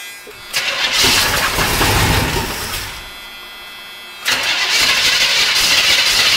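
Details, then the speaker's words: 1976 Chevrolet Corvette with an Edelbrock carburetor, whose engine was reportedly blown at 120 mph, catches and runs loud and rough with an uneven, rapid knocking under the exhaust roar, indicating rod knock. "oh did you hear it did you hear the knock that's pretty bad"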